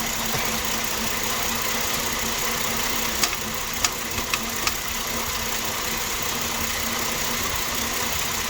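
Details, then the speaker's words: 2007 Ford Explorer XLT idling warm after a thermostat housing coolant leak repair. Faint hiss with scattered light ticks from the belt area. The belt tensioner bearing is noisy, before it was removed and treated with WD-40. "i just removed my belt tensioner because it is noisy so i will try to remove this and put some wd party we'll see if the bearing will not be noisy again"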